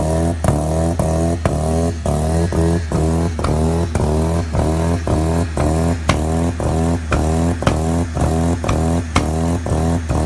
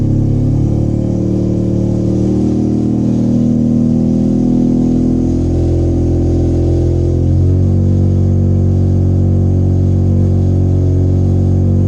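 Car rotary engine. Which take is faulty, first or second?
first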